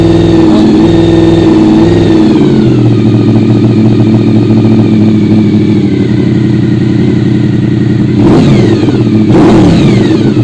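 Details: Honda VFR RC36-2 V4; battery voltage was 12.80 V before the start and it charges immediately once running. It starts and settles into a strong, even beat with clean rev blips and no clatter or misfire. Sounds healthy.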